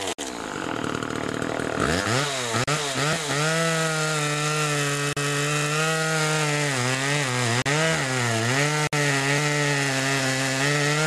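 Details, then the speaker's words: Homelite Super 2 chainsaw (Duramark-branded) after automatic oiler repair with new duckbill valve: clean, strong two-stroke howl dipping under load as the chain bites; cuts well and oils the chain well. "a anyway she cuts good now she's oiling pretty good now a lot of oil on that chain"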